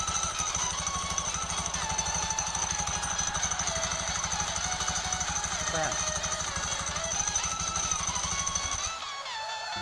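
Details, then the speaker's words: Honda Beat scooter idling before the CVT is opened; fast rough clatter from the belt-drive (CVT) side, partly buried under background music. Noisy CVT. "jadi seperti itu suaranya teman-teman ya, jadi berisik ya."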